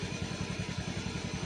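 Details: Fuel-injected scooter idling with the headlight on, battery voltage around 12.4–12.5 V and slowly dropping: even, steady putter at about eight pulses a second with no misses or hunting, a smooth stable normal idle.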